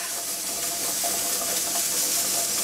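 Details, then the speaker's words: Pressure canner (dial gauge) after processing time, heat turned off: soft steady hiss with no rattle or sputter, steam easing off as things calm inside; normal cool-down, left to return to zero pressure naturally. "can hear things start to calm down inside your canner and we're gonna let it go until the canner returns to zero pressure naturally"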